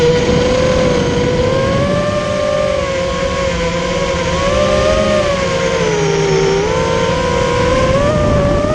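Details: Immersion Vortex 250 Pro motor test run after trying to fix bad bearing sounds: a smooth, steady whine wanders up and down with throttle, with no grinding or rattle, so the bearings sound fine. One motor is barely warm and the rest feel good.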